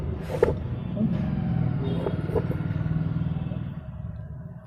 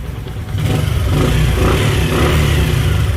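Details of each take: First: Bajaj Platina single-cylinder idle, before rocker adjustment: quick light ticking about three per second over the idle thump; valve tappet tick from very loose rockers. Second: Bajaj Platina after tightening very loose rockers that caused a tick-tick sound, with the timing chain found fine; the single-cylinder picks up smoothly and runs evenly under a light rev with no top-end tapping.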